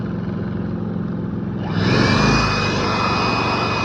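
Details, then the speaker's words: Predator 3500 inverter generator in eco mode: low, steady eco-mode drone, then pitch climbs and settles higher as load is applied; running normally. "But when you put a load, it raises the RPMs back to normal. I don't know if you can hear the engine get louder."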